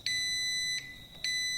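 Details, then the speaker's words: Car alternator rotor tested with multimeter across the two slip rings: steady high beep, brief stop, then returns, coil continuous; continuity beep, rotor coil continuous. ">> It is continuous."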